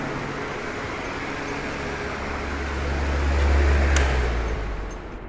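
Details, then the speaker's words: 2004 Crompton Greaves High Breeze 450 mm pedestal fan, 1430 RPM, 100 W, after service with new SKF 6202 bearings: steady low hum with smooth even whoosh, no knocking or grinding; gearbox noises gone, runs healthy. "now let's switch it on and see the performance it should be flawless so as you guys can see there's no weird noises"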